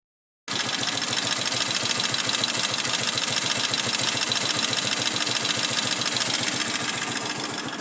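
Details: Motorcycle engine with pushrods. Steady idle with a quick ticking, roughly three per second, over a thin, buzzy engine note. Strange noise from the top end.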